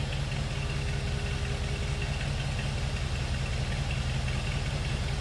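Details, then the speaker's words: 1947 Ford Super Deluxe Business Coupe flathead V8, heard from the rear: low, even burble holding steady at idle with no misses or knocks, smooth and quiet. "That authentic old school flatty sound."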